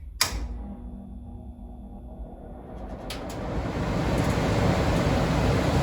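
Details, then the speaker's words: About 50-year-old Sears gas furnace after blower motor replacement, test run via panel switch: click at switch-on, then smooth steady motor whir, no rubbing; much quieter than the old noisy motor; normal blower run. "wow that's a lot quieter than it was looks like that fan is spinning pretty well without rubbing on anything seems to be working pretty well"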